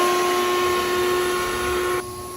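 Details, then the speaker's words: 1997 Jeep Wrangler TJ SE, 2.5L four-cylinder, ~204,000 miles, running loud: shop vac hooked to the exhaust, steady airy hiss of air escaping at the exhaust manifold, audible without soapy water; manifold bolt missing; exhaust manifold leak confirmed. "even without spraying any soapy water down here you can hear air leaking"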